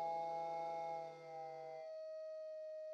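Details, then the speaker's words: Model steam plant gas burner on a Castle steam boiler: steady whistling howl holding several pure pitches then one tone, like a steam locomotive whistle; flame resonating in the venturi, stopped by pulling jets down into the venturis, though the chimney then smells bad. Gas burner howl. "a bit like a steam locomotive whistle pulling the jets right down in the venturis stops the howl"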